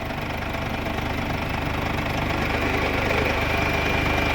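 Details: Mercedes W212 OM651 diesel idling while the coolant is bled and warmed to flush out residual oil, after repairing an oil-into-coolant leak with new hoses: steady, even diesel clatter, no misses or surging; healthy idle.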